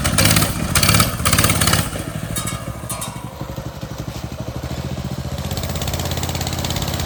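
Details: Motovox mini bike small single, after the worn centrifugal clutch was fixed, the exhaust guard removed and the chain lubed: idles with a slightly uneven putter and no grinding or rattle from the clutch; normal idle.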